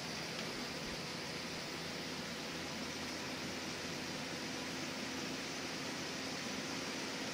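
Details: Window air conditioner on cool, low to medium to high fan, earlier rubbing noise expected to wear off, tested out of a window: soft even airy hush, faint steady hum, no rattles or grinding; quiet, running normally.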